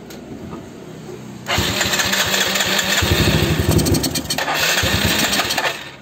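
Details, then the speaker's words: Yamaha Mio just after PE24 carburetor service, carb bowl empty of fuel, started while pulling the choke: quiet, then engine catches abruptly and runs rough and uneven on choke; hard start after service. "Agak sulit nyala karena baru habis selesai kita servis, jadi harus sambil tarik cuk."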